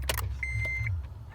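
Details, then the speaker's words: 2006 Acura TL: with the key held in the start position, a thin steady high buzz comes and goes at the starter relay over a low hum. It starts when buzzing, grinds intermittently otherwise; relay swap didn't help, owner suspects a failing ignition switch, which cured only the buzz. "Hear the buzzing noise. That sound. So if I hear that sound, then it will start. If I don't, then it will grind."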